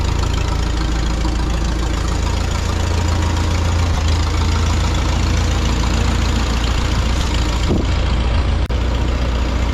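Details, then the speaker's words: 1952 Farmall Super C tractor started the next day with no choke after a misfire repair at the distributor rotor. A low, steady putter at even idle with no misses; it sounds much better than before. "we're going to start this with no choke just to make sure everything's still good man that sounds so much better than it did before"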